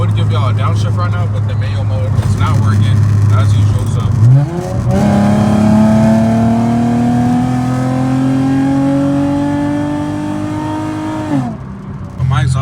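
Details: Infiniti G35 coupe, VQ35DE V6, driving after an exhaust leak was dealt with: note climbs smoothly through the revs and drops cleanly on the shift, no ticking or puffing; exhaust sealed and healthy.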